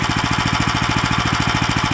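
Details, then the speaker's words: New Lifan LF390QE Pro (heavy duty, GX390-type) petrol engine on a flail mower, rubber-mounted, started on choke with booster pack on a cold day: fast even thumping at steady speed, no misses or knocks; runs cleanly. "there we have it the life an FF 3 9 TQ e Pro which is the heavy duty version starts and runs fine"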